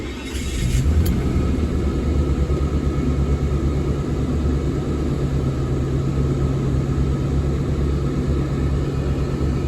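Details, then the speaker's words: Mercedes W124 E420, M119 4.2 V8, first start after a long repair with the distributor rotor and caps refitted and dried. Steady, even low rumble with no misses, knocks or ticks. Smooth, healthy idle before warm-up. "sounds good it's idling fine all right I'm gonna let it warm up for a little bit see how it's doing and I'll check back with you guys"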